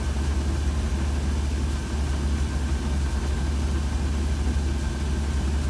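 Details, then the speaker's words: 1966 Cadillac with a Holley Sniper throttle body injection that hunts at idle, here with the IAC unplugged; low, even rumble with speed holding flat, no surging; a rock-solid idle. "perfect perfect rock-solid idol"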